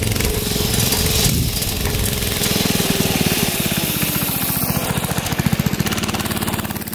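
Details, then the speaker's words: Barn-find minibike's small single-cylinder engine, sat 20-25 years, after oiling a shaft that squealed metal-on-metal: popping evenly at a fast steady beat with no squeal; oiling the shaft fixed the problem. "That fixed the problem. So oiling that shaft up got rid of that squealing sound."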